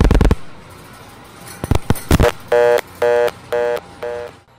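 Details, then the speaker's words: Panel switch call to a trunk group with all trunks made busy by busy plugs: selector relays clatter while trunk hunting to the overflow terminal, then a buzzy interrupted tone about twice a second, a busy signal. "the entire group of trunks is busy the selector will keep hunting until it reaches the last terminal in the group known as the overflow terminal"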